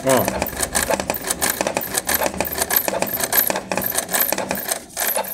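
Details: Canon Pixma G3110 inkjet printer running a copy: rapid, uneven knocks during printing as the carriage, sagging on its rail, hits the paper-exit gears.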